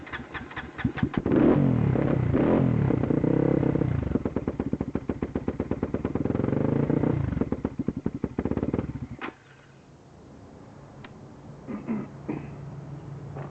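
Engine catches and runs with ragged, stumbling pulses and uneven revs, then dies out around nine seconds; misfiring and stalling, cause unknown.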